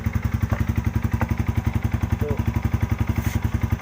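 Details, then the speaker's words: Yamaha Vixion after ECT sensor replacement, radiator fan had run with cold engine: cold start at 32°C, steady single-cylinder thump about 220 beats a minute, no fan whir; normal cold idle, fan now quiet. "Di sini putaran mesin, temperatur mesinnya di 32 derajat teman-teman ya."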